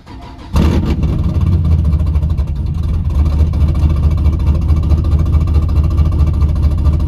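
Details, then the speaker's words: Wrecked ZL1 Camaro with LSA engine and aftermarket cam, started at a tow yard; fires quickly into a lumpy, choppy cam idle, steady with no knocks or rattles, sounds like a healthy motor, leak-down test still planned. "[Music] sounds great i'm super excited that they reached out to us on this car because there are tons of great parts still in this car great mods on it sounds like a very healthy motor"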